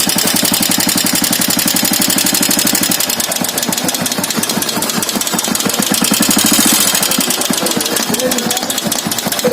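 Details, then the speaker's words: Royal Enfield single-cylinder idling with sharp, fast metallic tick-tick from loose tappets (excess valve clearance), heard before tappet adjustment. "ये loose हो गई वाली चीज tap है ना, ये आवाज आ रही है इसकी टैप की। देखो टिक टिक आ रही है ना अपना।"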